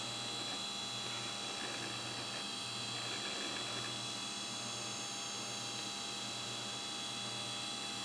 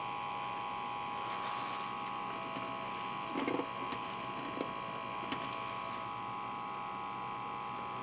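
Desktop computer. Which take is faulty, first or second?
second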